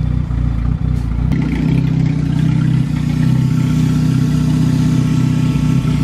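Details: Sleeved turbo Acura GSR B18 on AEM EMS after fuel-filter cleaning and leak fix, just revved with the turbo audible on the two-step, radiator cap missing: steady, even low-pitched idle with no knocks or misses; normal idle.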